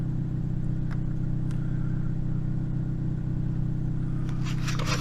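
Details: 2008 Toyota Yaris after upstream O2 sensor replacement and donut gasket flange repair, P0031 heater circuit code cleared: smooth steady low hum with even beat, no knocks, ticks or misses; normal idle.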